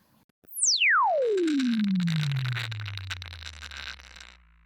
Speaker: do you hear that rattling noise let's listen to a good speaker now